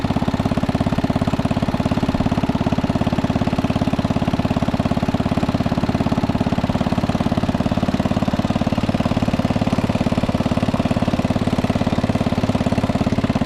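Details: 1961 International Cub Cadet Original tractor, 7 hp Kohler single-cylinder, being driven after new tubes fitted: steady thump at an even beat, no knocks or surges; engine running smoothly and healthy.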